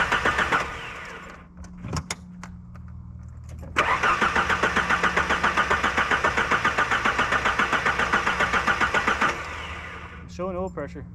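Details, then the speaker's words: 1977 Ford Pinto Cruising Wagon with swapped 2.3 Lima engine, weak battery: strong steady cranking at about four compressions a second, never catches; cranks but does not start, fuel pressure to be checked. "started by now crank's good I mean it cranks like a healthy engine"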